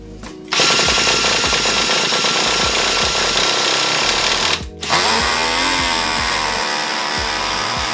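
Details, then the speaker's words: Buggy's small engine after teardown and rebuild, now like a brand-new engine awaiting break-in: fires and holds a high, even buzz, cuts briefly, restarts and runs steady without misses, clutch winding down after; running normally. "all right guys it runs so i don't know if you guys can hear that but the clutch is still uh winding down there so pretty good"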